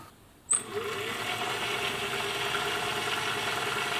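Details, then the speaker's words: 1950s Singer 401A sewing machine after cleaning and greasing metal gears, plugged in to test; spins up to a steady even whir with light rapid ticking, no knocks or grinding; sounding much better than before, running smoothly. "certainly sounding a lot better than it was before"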